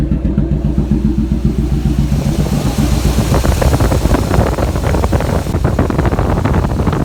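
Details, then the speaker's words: Square-body Chevrolet truck after valve adjustment, previously smoked badly, now no smoke: choppy loping idle that sounds like a big cam, then crisp even revving, no ticking or misfire; running healthy. "but i'm gonna show you now how the truck runs as you see it ain't no smoke coming out so we fixed that problem [Music] sounds like got a big old cam in"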